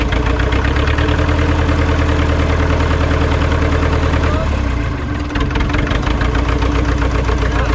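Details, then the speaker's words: Ford 2701E 4-cylinder 240 ci IEL diesel log loader, first run after sitting about 15 years, after bleeding air from the fuel system and adding a little ATF: settles into an even, firm low chug with no misses or knocks; normal idle. "that sounded good yeah okay close them up"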